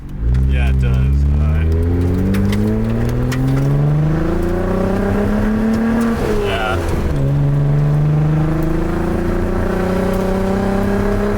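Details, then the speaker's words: Skyline GT-R on track: partway through the rev sweep the exhaust goes choppy and uneven, breaking up under load with power down after the last lap; idle fine, no smoke; suspects a dead cylinder, injector or exhaust leak, unconfirmed. "it's breaking up yeah picking up and it sounds more choppy it could be like an injector though"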